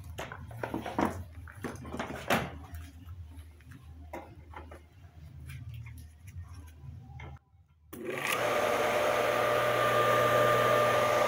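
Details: Centrifugal water pump, factory-wound with aluminium wire, that ran slowly and overheated; after repairing the internal disconnection and fitting the capacitor, the motor starts after handling clatter and holds a steady even hum with faint whine: runs properly.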